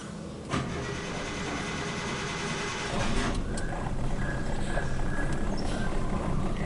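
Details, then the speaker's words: Suzuki Katana: cranks, catches and settles into a low, lumpy, uneven idle with strong cabin vibration and weak acceleration, because one spark plug is dead, black and carbon-fouled. Fix: new plug plus a leaner carburetor mixture and retimed ignition. "rpm nya rendah dan kemudian getarannya di kabin itu juga terasa sangat besar sekali teman-teman bisa dengar suaranya ini getarannya besar"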